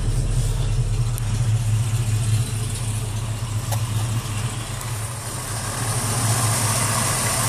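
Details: 1968 Ford Mustang, rebuilt 302 V8, Edelbrock 500cfm carb, headers, Cherry Bomb Vortex dual exhaust, cold day, no exhaust smoke; deep even burble with steady low pulses, no misses or knocks, running cleanly.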